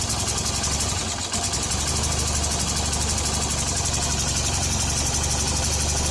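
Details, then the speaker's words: Hero Honda CBZ Xtreme single-cylinder bike after tappet (valve clearance) adjustment: steady even idle with no loose tapping from the top end, sound now clear; normal idle. "आज सुबह जब आवाज बिल्कुल clear आ रही है भाई"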